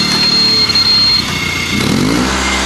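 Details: Honda 3813 liquid-cooled lawn tractor with the transaxle clutch damper removed: the engine runs at a steady buzz and dips briefly as the clutch engages immediately by foot, then settles. Healthy.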